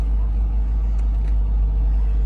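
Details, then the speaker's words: 2004 Mercedes S55 W220 after replacing dead fuel pump, fuel filter and blown fuse that caused no start, ABC light on: even steady low rumble, no misses or knocks; normal idle. "now this car starts it runs and of course you have the ABC light on but it's running guys"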